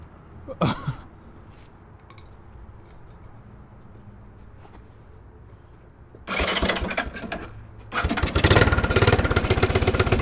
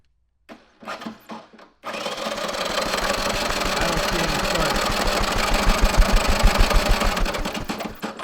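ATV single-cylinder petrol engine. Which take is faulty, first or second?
second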